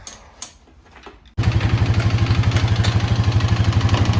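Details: 2020 Honda Rubicon 520 ATV after being swamped, on a second valve adjustment done at top dead center: quick idle with a loud, sharp tapping on every beat; the knock persists, and the owner fears crank damage.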